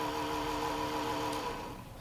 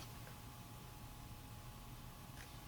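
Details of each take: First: Coca-Cola mini refrigerator (bought 2011) cooling fan on AC mode: steady fan tone and hum that fades and drops off after a second and a half; fan going bad and slowing down, to be replaced with Cooler Master fan. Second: Coca-Cola mini refrigerator new Cooler Master replacement fan wired directly to 12 V: faint smooth constant whir with low hum, no ticks or rattles; very quiet, spins fast and blows well, fan works.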